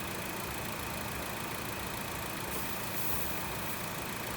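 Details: 2017 Honda WR-V idling with AC engaged after compressor replacement for a loud engagement noise, pressure reported correct; steady even hum, no knock or squeal, healthy compressor.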